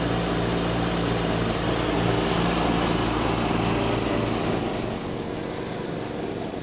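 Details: 1989 John Deere RX75 riding mower cutting grass: a steady, even single-cylinder drone that holds its speed, with only a slight dip in level. The deck may be cutting a little low; it is running normally under load.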